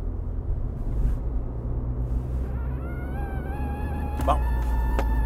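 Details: Dash-vent whistling over road rumble while driving, rising in pitch and getting louder; owner links it to the ventilation (smart ventilation noise, not in rain); cause suspected, not confirmed.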